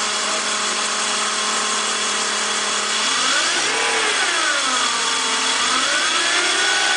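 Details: BMW M54 inline-six running with an odd even purr whose tone rises and falls as revs swing; cause unknown.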